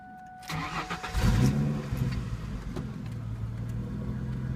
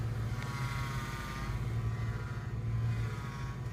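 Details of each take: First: 2002 Ford Mustang 3.8L V6, 5-speed manual, high mileage, non-stock exhaust: fuel pump primes, starter whirs, engine catches after a second and settles into a deep, slightly lumpy but steady cold idle; normal cold start. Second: 2002 Ford Mustang 3.8L V6, 5-speed, idling while steering wheel is turned: thin, steady high whine over the engine that swells with steering; owner unsure if steering pump, alternator or normal engine sound.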